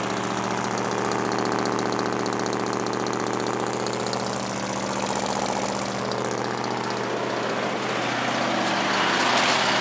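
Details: Ford F-150 idling after replacing a leaking power brake booster check valve: smooth, even idle with a steady low hum and no hiss or stumble; the vacuum leak is gone.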